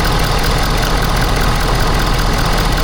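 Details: Ford F-Series 6.7 diesel first start after fuel filter change and priming: steady, even diesel clatter with a smooth low rumble and no knocks or misses. Engine settles into a healthy idle.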